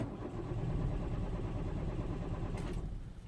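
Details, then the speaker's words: 2004 Citroen C4 1.4 petrol (KFU), codes P0201–P0204 and P0443 for open circuits. Steady starter cranking of about three beats a second with no firing; the engine turns but won't start. Suspected failed relay contacts cutting power to the injectors. "as you can see it's not starting out I don't know if you can hear it"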